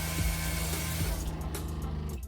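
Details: RV water pump running with hot faucet open to refill the water heater after repairing a defective swivel fitting: low steady motor hum, no sputter or surging, building pressure normally; now leak-free.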